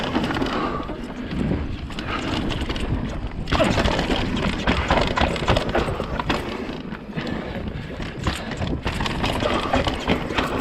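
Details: 2020 Vitus Sommet CRS mountain bike on a chest-mounted GoPro: irregular light clattering over rough trail noise as the internally routed cables knock inside the frame, before being silenced with split braided sleeving.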